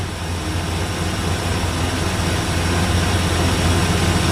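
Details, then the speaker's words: 1964 Ford Fairlane V8 with an old race carburetor on 70 idle air bleeds: deep, slightly uneven idle with a heavy, lazy lope, still a little too rich; 65s ran too lean. "all right so you can kind of hear it in the idle there uh it's it's just a little too fat so it's still still Rich"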